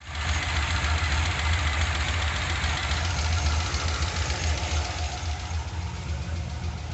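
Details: 2002 LS1 Corvette with Brian Tooley Stage 2 cam (227/238, .620/.605, 113.5 LSA), cold: light quick ticking over a lumpy V8 idle, easing as it warms; owner unsure it's normal.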